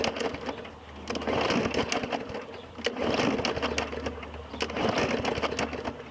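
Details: 2017 Murray 21" mower, Briggs & Stratton 450E engine: repeated rattling pull-start bursts, about one every two seconds, and it never catches after primer pumps; no-start linked to a dirty carburetor, owner suspects a hose fell off.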